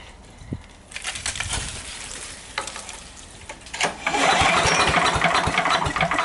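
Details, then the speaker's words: Sears Craftsman 9HP chipper/shredder, over 30 years old and unused probably 5–6 years, with a little fuel dribbled in, choke partly open and throttle up. Repeated pulls give brief rasping, sputtering bursts but it won't start. Owner suspects slow pulls, too much oil, not enough fuel. "I don't think I'm pulling fast enough, but I can't with this rope. There might be too much oil in it too. Not enough fuel."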